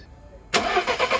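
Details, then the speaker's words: 2011 VW Polo 1.2 TSI, CBZA engine at about 100,000 km, first start after a timing chain, tensioner and crankshaft sprocket upgrade: the engine catches at once and settles to an even idle with no start-up chain rattle. Normal start. "okay right away fire no issues running very smooth very nice"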